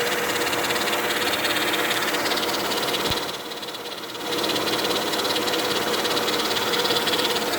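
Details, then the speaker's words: 2000 Mercedes-Benz E320 wagon idling: loud, fast rough chatter from one side of the engine bay, with stiff steering and fluid level fine; owner suspects a failing power steering pump, unconfirmed. "and there's this sound coming from this side right here right down there hope you guys can catch that"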